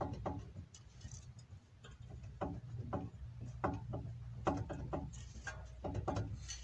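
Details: Renault Logan/Sandero/Lada Largus hub, wheel off: scattered light knocks and a dry rough rustle as the hub is rocked and spun by hand, visible play; worn wheel hub bearing, to be replaced.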